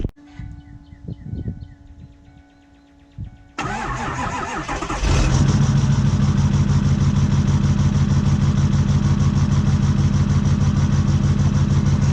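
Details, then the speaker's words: Ford 6.4 Powerstroke diesel with power loss, codes for injector control module and exhaust pressure sensor: cranks, catches and idles with a steady heavy knock about three per second from the front; cause unconfirmed. "so there you can obviously hear it a little bit and up in the front it almost kind of sounds like a knocking noise"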